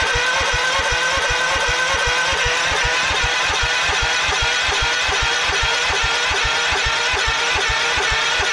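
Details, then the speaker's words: 1989 Craftsman mower, cold, on choke, after sitting for months: starter cranks at an even pace, about two to three compressions a second, never fires; crank-no-start because the fuel shut-off was closed. "ah look at that right there knew something wasn't right fuel shut off was on or was off"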